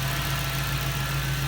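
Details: 1998 Jeep Wrangler TJ with a 5.3 LM7 V8 swapped from a 2003 Chevy Tahoe, first start after fixing the fuel pump and wiring: a smooth, even low V8 burble with no misses, ticks or knocks. Normal idle.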